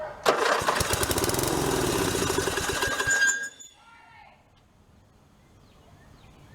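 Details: Murray 12 hp lawn tractor after wiring repair, with a test battery: the engine catches on the first try and runs steady and even for about three seconds, then shuts off, sounding healthy.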